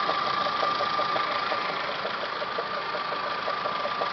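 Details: Toyota Camry 5S-FE engine, timing belt job done Feb 2011: light loosely regular ticking about 160 per minute over steady idle with thin constant whine from the timing belt/water pump area, started a few days ago; cause not yet found.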